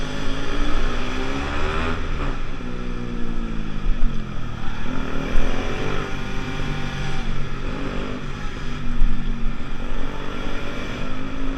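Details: Pulse Force 50cc two-stroke road test after fuel-starvation fix, GoPro on bike, 14-stone rider, about 37 mph. Pulls cleanly through rising revs, pitch climbing smoothly, no bogging or stumble amid wind rush; normal under load.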